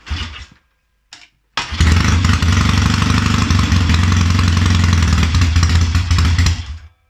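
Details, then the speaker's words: Triumph Tiger 90 350 twin with electronic ignition, first start after rebuild, kick-started cold after turning tick-over down: a couple of failed kicks, then it catches with a lumpy uneven fast idle; ignition timing sounds out. "oh she's she wants to live that timing sounds out it does sound out"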